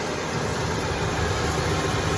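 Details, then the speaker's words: 1994 Ford F250 after new cap and rotor, idling with a steady, even low rumble and no misses or knocks, running way better. "But this thing's running way better."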